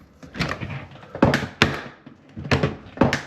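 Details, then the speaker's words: Frigidaire dishwasher door opening with heavy wooden-sounding clunks and cracks, a few per second, a long-standing problem first assumed to be the hinge; cause was a broken plastic hinge pivot pin. "it's had this ongoing problem for a long time that when you open the door, it makes that horrible noise. I'm going to make the assumption that the hinge is bad in there"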